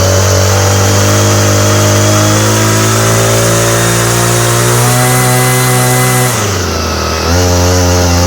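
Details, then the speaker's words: Homelite string trimmer, no model number, with a new non-OEM Chinese aftermarket carburetor; two-stroke holds a high buzz, then sags and stumbles as mixture is adjusted, running at only one setting and stalling just past it, popping. "Got like a one spot and you go just a touch farther and it stops. And there it pops."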